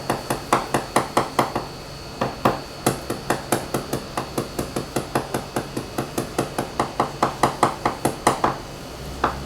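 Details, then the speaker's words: Leopard 45 catamaran hull hammer tap test at a stressed point with through-cracks: steady taps, some dull with a loose rattle, indicating delaminated, cracked fibreglass under the skin. "I want you to hear the sound and notice where it is because it's at a point where it has presumably has some sort of torque so it cracks I want you to hear the rattle noise you're looking"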